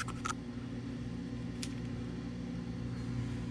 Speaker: that's how that motors supposed to sound a gradual whine and then come on and